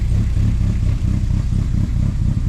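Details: Project Zero build with big cam, running after fuel pump replacement, odometer at one mile, a gauge reading suspected faulty from a poorly grounded sensor: deep, even, slightly lumpy idle from the big cam, no knocks or misses. Normal idle.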